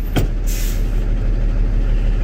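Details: Manual tractor-trailer in neutral after the service brake test, yellow and red knobs pulled: a sharp hiss of released air as the spring brakes set, then the diesel idles on steadily. Normal.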